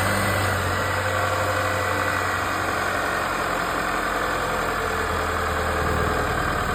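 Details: GMC/Chevy 2.7 turbo petrol engine at idle with a loud, dense rattling buzz over a steady low hum. Wastegate actuator suspected, not confirmed.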